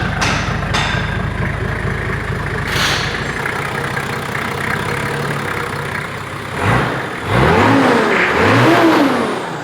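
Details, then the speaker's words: 1995 Nissan GQ Patrol TD42 diesel just after first start with big turbo upgrade, water temp 35: even diesel clatter at idle, then clean revs with rising turbo whistle, no knocks or misses; normal idle and revving. "Sounds good. Big turbocharged GQ. Big turbocharged forklift."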